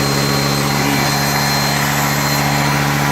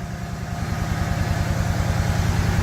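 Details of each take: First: Refurbished truck just started, coolant not yet filled; steady idle with slightly uneven, lumpy beat and hiss, smoking, much liquid coming out, no ticking; rough running from coolant seeping past loose intake manifold bolts. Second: Refurbished truck engine first running after battery swap, with a coolant leak and smoke from one lower corner: deep, even rumble with steady firing pulses and no knocking, ticking or rattles; idle sounds healthy.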